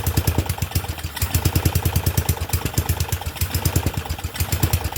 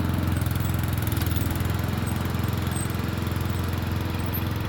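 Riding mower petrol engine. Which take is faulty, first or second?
first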